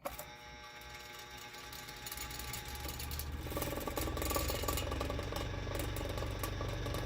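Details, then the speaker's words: 1960s(?) Superior Electric Model 808 desk fan after oiling: a steady low 60 Hz motor hum under the whirring that swells as it speeds up. This hum is new, and it changes when a part is moved, suggesting a position that minimizes noise. "you can see what I mean by 60 HZ hum that this did not have before I can move that and it'll change see so I guess there's a specific position this is supposed to be in in order to minimize the noise"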